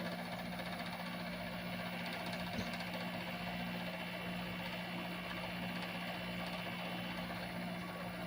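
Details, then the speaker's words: Fedders 7500 BTU window air conditioner on medium on a hot day: quiet, even low hum and soft airflow, no knocks or grinding, blowing cold; running smooth. "It's starting to get cold. This one's working real nice. Runs real smooth, too."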